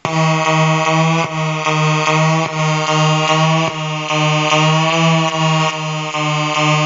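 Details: Colour-changing LED bulb on 4.5–6 V DC batteries: harsh fixed-pitch electrical buzz chopped into short pulses about twice a second as colours cycle; LED driver interference noise.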